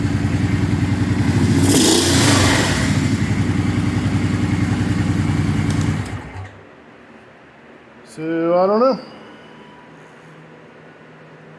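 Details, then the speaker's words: 2004 Kawasaki Brute Force 650 V-twin with earlier no-start, suspected fuel pump or carburetors; with air box off it now suddenly starts, runs with a steady even beat about six seconds, then shuts down; cause unknown. "I have no idea what's wrong with it because it's now all of a sudden it starts and runs so I baffled I don't know"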